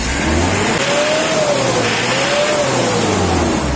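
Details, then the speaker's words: Mitsubishi L200 diesel before a Jet Speed tune-up, giving thick smoke: revved twice, pitch climbing and dropping, with a coarse, clattery edge throughout; running rough under revs, smoother after tuning. "bunyi kasar sebelumnya itu agak kasar bunyinya tidak seperti mentari pagi bunyinya"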